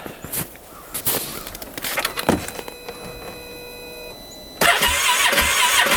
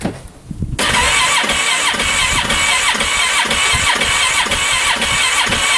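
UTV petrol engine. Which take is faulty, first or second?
second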